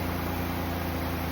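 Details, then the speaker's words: 2004 Ford Taurus, towed in no crank/no start/no comm, fixed by cleaning dirty PCM grounds (not a bad computer): smooth, even low hum idle with no knocks, misses or stumbles; runs normally, separate coolant leak still to fix. "Now, this car runs. The only thing he has another uh he has a coolant leak."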